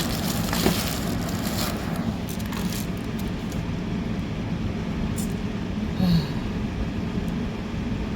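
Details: Portable air conditioner on high cool, set to 62°, powered by an AllPowers R1500 power station: a steady low hum with an even whoosh and no rattles or squeals, so it is running normally.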